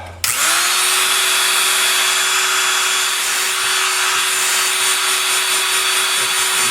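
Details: Ryobi TR-31 router after repair (the bearing keeper had slid down, which likely caused make-and-break brush contact; bearing itself fine), reassembled test: motor spins up quickly to a steady high whir, constant pitch, no rattle or scraping, winds down; running smoothly.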